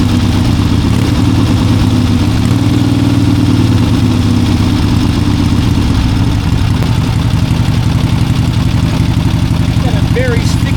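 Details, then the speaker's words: 1971 Harley-Davidson Ironhead XLCH V-twin holds a fast steady roar near 3000 rpm and never drops back to idle; owner first suspected a sticky carburetor, but a misadjusted throttle cable held the throttle plate open; fixed by adjusting the cable. "But that carburetor really is sticking badly. Once you rev it up and you try to back off on the throttle, it won't back off."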